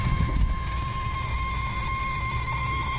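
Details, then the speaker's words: VW Polo GT TSI petrol turbo with the key off: a thin, constant high-pitched whine from under the dash right side below the steering wheel; it stops when the body control module plug is loosened, pointing to a faulty BCM. "आपको कोशिश करता हूं सुनाने की यह देख सकते हो सी सी का आवाज आ रहा"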